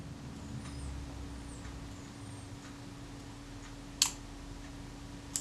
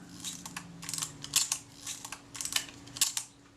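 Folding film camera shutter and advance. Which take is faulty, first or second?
first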